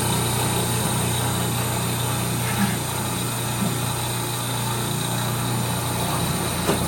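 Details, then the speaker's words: 1930 Gilbert and Barker model 106 clock-face gas pump, after a WD-40 restoration, switched on and primed: steady, even electric motor hum, constant low drone, no surging or rattles; pump running healthy under load. "Well, let's turn this thing on and get her primed up and running. The motor sounds super smooth."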